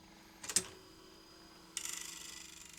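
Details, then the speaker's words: 1976 Philips N1502 video cassette recorder, loading motor spinning the lower head drum during lace-up: a couple of clicks then fast light ticking, roughly fifteen a second, fading; tape snarled and out of position, head drum stalled, lace-up not completing. "it's not completing lace up the tape's all sned up so this tape shouldn't be at this position it should be around here"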